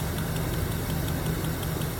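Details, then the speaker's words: 1977 Chevy Camaro base model, Chevy 305 V8, parked almost 20 years and likely high mileage: first run after revival, a light, quick, consistent tick at idle from one lifter, possibly starting to free up. "she's a runner man this is her and other than that one lifter sure I don't know if you can hear that it's consistent though"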